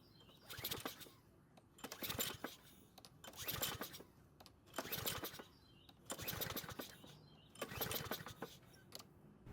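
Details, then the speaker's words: Troy-Bilt mower left stored for years, possibly without being prepared for storage, auto-choke carburetor: six quick pull-cord whirs, each dying away with no firing, a cranking no-start. "so unfortunately it didn't start but I was pretty certain that was going to happen now because the carb has an auto choking system on it"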